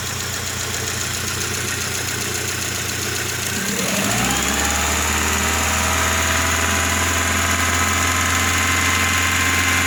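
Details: 2000 Rover 75 1.8 K-Series, first startup after head gasket repair and cylinder head rebuild. Cranks, then catches into a busy idle with a fast light clatter, about three or four a second; rattly start, cause unclear.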